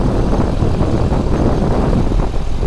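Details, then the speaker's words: 2006 Chevrolet Corvette C6 3LT, stock 6.0L LS2 aluminum V8, idling under hood: deep even burble, steady beat, very quiet, no ticks, knocks or whine; healthy idle. "As you can hear, the idle is super quiet."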